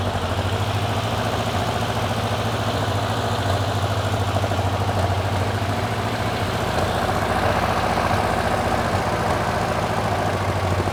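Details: Porsche 912 engine, stored over ten years, running after its cooling fan was repaired and adjusted and slightly warmed. It holds a steady, even idle with no knocks; the top oil leak is fixed, with some smoke from underneath.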